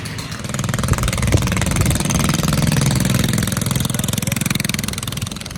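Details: 20HP Kohler lawn-tractor engine in a minibike, revived after 15 years of sitting, with a shortened open exhaust; a steady, even popping at about three beats a second, a bit rowdy but clean; normal idle.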